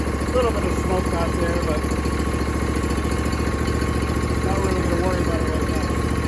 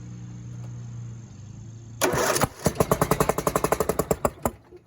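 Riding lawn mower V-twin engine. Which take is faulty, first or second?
second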